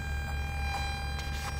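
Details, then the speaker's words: 2012 Hyundai Elantra playing through aux input: steady low hum and thin high whine with chirps and peeps in speakers, ground loop from poor aux ground connection. "here all the little peeping and speakers this is a ground loop issue"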